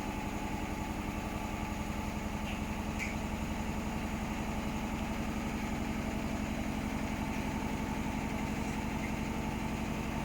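Steady rhythmic thumping about four per second over the motor hum during spin; the drum is running badly out of balance.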